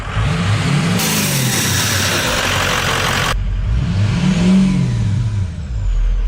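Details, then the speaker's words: 6.0L Powerstroke diesel after installing new intercooler pipe to fix a boost leak: big diesel climbs and falls cleanly through two throttle blips with smooth rising turbo whoosh, no hiss; boost leak gone. "It sounds a lot better [Music] [Music] though. Wow. There's no boost leak at all anymore."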